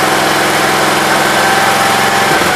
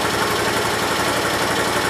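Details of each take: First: 1968 Gravely 430 small engine just reinstalled: it runs fast and even, then the pitch sags; high idle caused by the choke cable routed behind the governor arm. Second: 1968 Gravely 430 small single-cylinder petrol engine, just refitted: idles fast and steady with an even beat, no knocks or misses; sounds healthy. The owner thinks the valve may need adjusting, and the high idle was traced to a misrouted choke cable.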